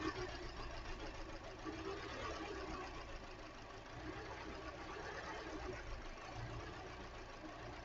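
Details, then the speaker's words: 2013 Hyundai Elantra four-cylinder, coil-on-plug, flashing check engine light: rough, lumpy idle with a dead-cylinder stumble; unplugging cylinder 2's injector changes little, so its coil is suspected and replaced. "So let's do this. I can hear that one sparking. That one's making a spark. That one doesn't seem to be doing anything."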